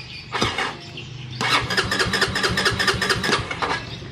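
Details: Honda CB150R first-generation fuel-injected motorcycle with no spark but compression present and the fuel pump running; quick even cranking chugs about two a second, never catching. Cranks without starting; injector possibly not spraying after a fuel pump replacement, not confirmed.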